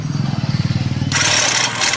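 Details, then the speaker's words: Royal Enfield, before repair: starter cranks with rapid heavy loud chug, harsh roar on catching; strange intermittent knocking noise after start, like something striking inside; abnormal self-starter noise. "Self से स्टार्ट करोगे तो बहुत ज़्यादा आवाज़ आ रही है और स्टार्ट होने के बाद में एक अजीब सी आवाज़ आती है, कभी आती है कभी बंद हो जाती है।"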